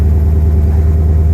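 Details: 2006 Porsche Cayenne S (955) 4.5L V8 just after replacing the EVAP purge valve for P0441 and pulsing idle; smooth steady low hum of cold fast idle, no surging or pulsing, waiting for idle to drop.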